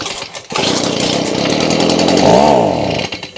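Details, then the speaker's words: Stihl BG55 two-stroke leaf blower, bought used around 2020; starts, climbs unevenly, briefly surges, then sags and dies, won't switch to high revs; owner suspects clogged carburetor with fuel starvation, before carb cleaning. "Okay. So, yeah. Yep. That's exactly what it's doing. And, you know, I could keep messing around with that and, you know, probably get it to to switch over to the high revs uh and get the job done."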